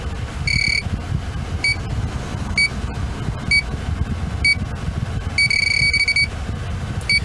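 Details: BMW R50 MINI A/C check with a leak detector at raised sensitivity: shrill beeps in irregular short bursts, one long run near the end; refrigerant reaching the sensor, pointing to an evaporator core or expansion valve leak.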